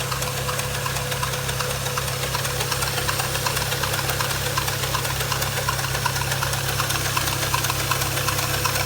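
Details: 2010 BMW 335i N54 petrol engine at idle with a steady rapid ticking, about three a second, from a pulley on the front of the engine; the noise was later fixed.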